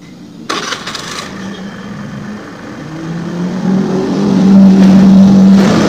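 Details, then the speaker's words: Old Honda Scoopy FI that died when throttled, after injector and throttle body service and idle adjustment: engine climbs smoothly in pitch as the throttle opens and holds steady without stumbling; pull now light, idle stable. "Tarikannya udah enteng banget. Udah mantap. Langsamnya juga udah stabil."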